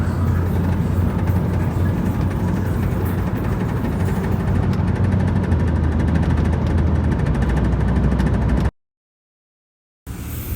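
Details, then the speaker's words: 2007 Honda Civic, noise at the front: fast, uneven plastic rattle about four per second over steady engine rumble, caused by a loose front bumper chrome/black trim piece; fixed by securing it with zip ties. "era apenas esse plástico solto que tava aqui. Tava meio solto aqui, ó."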